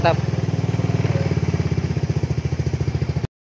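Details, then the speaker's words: Carbureted Honda Beat scooter after fixing lost ignition, pulser and coil spark checked: fires right up on the starter and settles into a steady, even putter at idle with no misfire. "nah Alhamdulillah nyala teman-teman ya oke dia nyala berarti kita langsung pasang"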